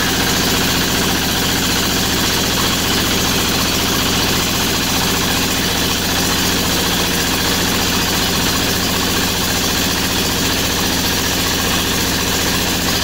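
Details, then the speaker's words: MEP-802A diesel generator on first start after piston ring replacement (before, only one cylinder fired, with blue smoke and intake blowby) runs steady and even, all cylinders pulling at constant speed. "There you go. That's the sound I was looking for."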